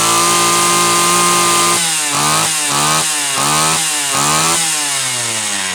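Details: Homelite Super XL chainsaw (brought in for boiling fuel and overheating) on test run after starter spring fix and replacing a bad new spark plug; fast idle drops, then four or five crisp rev-ups without sputter; high side set slightly rich on purpose; healthy throttle response.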